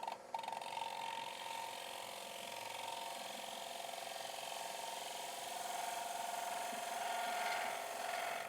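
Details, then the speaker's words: Wood lathe green-turning a wet maple bowl: thin high whine with fast uneven rattle as the tool extends too far out and bounces, causing chatter. "Now you hear that whining starting to get a little bit far out on the um on the tool."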